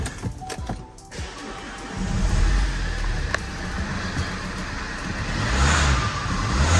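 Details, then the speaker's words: Vauxhall Insignia after refitting a leaking EGR valve section that had a loose bolt, previously making a boost-like noise: quiet lead-in, engine catches and settles to smooth even idle, gentle rev rise, no hiss; normal start-up and idle. "yeah guys I can't hear that um noise of as much as I would so we're going to go for a little drive"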